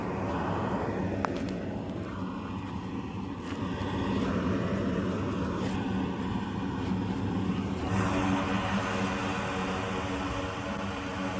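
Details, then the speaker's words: Home radon mitigation fan exhaust stack recorded on the roof before the noise-reduction fix: a constant loud, low, rhythmless drone like a plane overhead, audible from the driveway. "But as you can tell, it sounds like a plane is constantly going over my house, and you can hear it when you drive up all the way over there."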